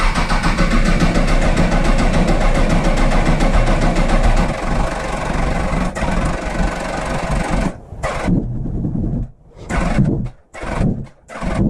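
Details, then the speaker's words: Honda CBR1000RR four-cylinder after head gasket rebuild, idling about 1500 rpm with a steady prominent tick or knock, cutting out and restarting; source hard to locate even with a stethoscope. "there's a a pretty prominent tick or not that comes throughout through the motor and I've listened to it with the stethoscope and it sounds like it's it it's actually really hard to tell where it's coming from"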